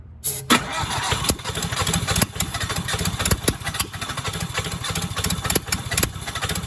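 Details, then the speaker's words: Cheap used skid steer engine, reassembled with excess valve lash: cranking with sharp irregular catches that never settle to idle, fires only while starting fluid is sprayed; cause unconfirmed. "Keep spraying? Mm-hmm. Oh yeah, she is not gonna go by herself. Squirt."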